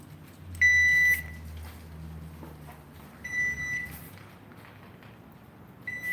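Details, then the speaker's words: Garage door opener running on its battery backup. Three short high beeps about two seconds apart sound over a low hum; the owner says it has never done this before and it stopped afterward, so the cause of this unexpected beeping is unknown. "That was odd. It's never done that before. And it's not beeping now."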